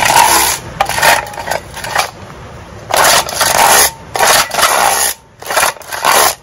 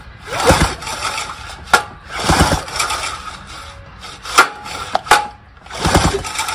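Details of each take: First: Vintage outboard rewind starter: each rope pull gives a harsh half-second raspy scrape. Suspected dirt and grime, possibly over-greasing, on the recoil spring; it needs cleaning and lubrication. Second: Outboard rewind starter repaired (pawl springs were backwards and the inner spring wrong), tested on an 18 hp test motor: several sharp pulls, each with a quick ratcheting catch and the flywheel spinning over; it engages properly.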